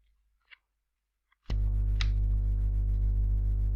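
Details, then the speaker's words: USB microphone recording with the laptop power adapter: near silence on battery, then click and loud steady low buzz when the adapter is connected; gone when the adapter plugs directly into the wall: ground-loop mains buzz. "the buzzing sound appears when are they moving back the noise disappears and when I connect the adapter directly to the plug in the wall there is no buzzing noise"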